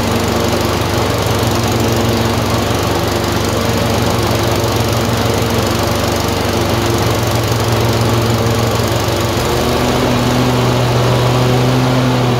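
Steady loud run with an uneven, lumpy beat and a clear drop in engine speed near the end, consistent with surging and occasional misfire.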